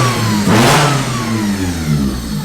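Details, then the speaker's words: Honda Del Sol just brought back to running, with coolant air bled: a loud, crisp rev blip climbs cleanly and settles to a steady idle without misses or knocks. Healthy and super responsive. "He timed it right. Good. It sounds like healthy, dude. Hell yeah. So guys, it started up and it ran and is good."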